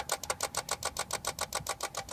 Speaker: okay my wife's car she tried to use the automatic starter this clicky noise started to happen which turns off when i turn the ignition but the ignition doesn't turn over and there's a clicking noise coming from the fuse panel and the fuse box in the car